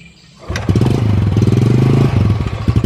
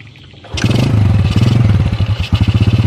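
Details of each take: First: Yamaha Jupiter motorcycle that won't idle, dies when throttle eased even after air and idle screw adjustment: a few single fires, brief rev, then uneven sputtering fading out within seconds; stalling from blocked pilot jet. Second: Yamaha Jupiter motorcycle that used to stall below 2000 rpm, now holding about 1500 rpm without dying before carburetor adjustment; low steady putter of about three and a half pulses a second, no stumbling; normal idle.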